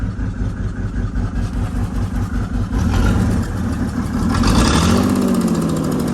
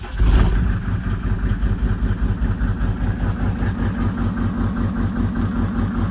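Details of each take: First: 1996 Mercedes-Benz G300 with OM606 diesel, bought non-running, idles rough with an uneven, lumpy, stumbling beat after a crank position code; glow plug error code present, EGR clogging intake runners noted; cause unclear. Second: 1996 Mercedes-Benz G300 G-Wagon, OM606 diesel, bought non-running; after an injection-pump code check, brief starter burst then even, steady low idle clatter with no misses. Crank position suspected as the fault; a glow error is logged.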